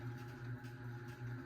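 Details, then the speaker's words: 52-inch unknown-brand bronze hugger ceiling fan (Harbor Breeze brackets, Hunter blades, Patriot Lighting Arthur housing) on medium speed: steady low buzz with strong hum tones; fan shaking and wobbling badly, cause unknown. "This fan feels like it's gonna fall down the ceiling."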